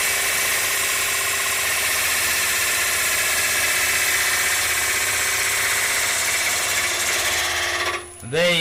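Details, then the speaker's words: Bowl gouge roughing out an ogee bowl on a lathe, bevel rubbing, handle leaned toward the leg, tool not forced: steady even hiss of cutting for eight seconds with no vibration or snap at the end; smooth cut with correct pressure. "you see there was no real vibration and no snap at the end cuz I wasn't forcing the tool"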